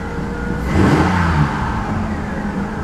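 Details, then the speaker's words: 2001 Ford Explorer after cleaning the idle air control valve, warm after several minutes running: idle rises on a throttle blip, dips, then climbs back to a steady elevated idle; high idle persists, IAC valve may need replacing. "Well, that let it go down quite a bit, but it's climbing a little bit. And I had tried that before too, hitting the gas, and it didn't let it come down."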